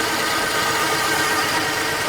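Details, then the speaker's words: 1950 Plymouth, after sitting a year or two, at idle right after new plug wires fixed a sparking problem: faint, steady high hum over an even idle with no knock or tick; source of the hum not identified. "Yeah, weird little humming sound there, but I guess we don't really care."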